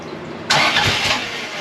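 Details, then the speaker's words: 1982 Fiat 124 Spider with a twice-rebuilt, fuel-injected engine (35–40 psi), first start attempts after setting timing and valve shims: cranking gives one sharp cough, nearly catches, then dies. Ignition timing close but slightly off. "bat that sounded pretty good we're getting a lot closer on that timing"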